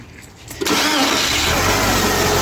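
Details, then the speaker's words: Chery that stalled at 130 km/h and seized, after repair with a new timing belt, valves, water pump and oil: short crank, then a clean catch and a steady, even idle with no knocks or ticking; now fully fixed. "Як бачите машина заводиться прекрасно працює і з нею все о Окей"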